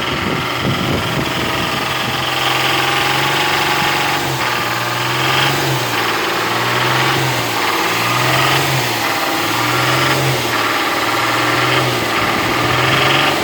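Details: Nissan VQ35DE at idle: a light, fairly steady tapping at a few knocks per second rides over the engine, suggesting a knock from the top end.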